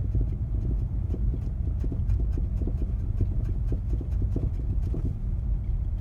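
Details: 2003 Infiniti G35 sedan: quick, uneven clunks from the front end over low road rumble as the brakes are tapped while driving; front end clunk under braking.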